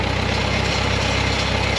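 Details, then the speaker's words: Bantam T35 crane's 4-cylinder gasoline LeRoi engine on a 1945 GMC 6x6, sat over eight years, electric fuel pump off, running out the carburetor bowl: steady, even low idle with smooth exhaust pulse, no misses or knocks; normal idle. "GE get run for a long time on a little gas don't it put little bits in that carburetor Bowl where at yeah I'll say got a lot of work done with the fourth cylinder sounds good yes it does it really does"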